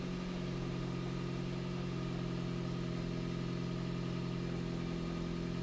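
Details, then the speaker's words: 2005 Toyota Prius shuttle car that shut off while driving and was towed in, now started and running with a scope connected; steady idle with a faint uneven stumble, a slight misfire at idle, before it shuts off again. "it started it's running Scopes going and the engine's actually running right now a little bit of a misfire there"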